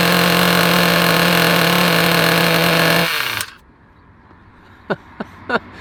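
High buzzing little engine runs steady and even for about three seconds, then cuts out; a small nitro motor running normally.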